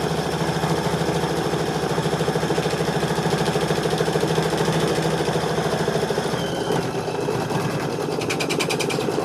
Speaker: It's I'm hearing tape. So, when I hear tape, I know something caught on the machine.